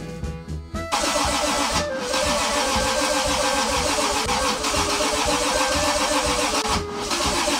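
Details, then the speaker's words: Toyota 2JZ engine, self-wired swap in a car unused for 10 years, first start attempt; starter turns it over steadily at about three and a half beats a second but it never fires, owner fears draining the battery, cause not yet confirmed. "je crois que je suis juste en train de vider la batterie en fait ça sert à rien arrête"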